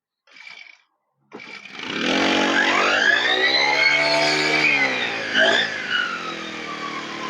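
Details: Two-stroke lawn/brush cutter that was unused for a long time and would not start, after the fix: a short pull, then it catches and revs up smoothly, holding a steady buzzing pitch. It runs properly.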